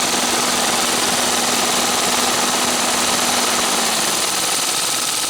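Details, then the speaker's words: 2017 Ford Fiesta SE with a newly replaced radiator cooling fan, engine warm at about 210°F: a smooth, even fan whir with a steady tone over the idling engine, no rattle or scraping; the repair works perfectly. "nice right that's it done see works perfectly fine so glad we're done with"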